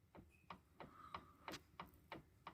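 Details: Audi allroad C5 2.7 with the steering rocked back and forth; sharp hollow knocks come from play at the pinion gear on the shaft coming from the steering wheel into the steering rack.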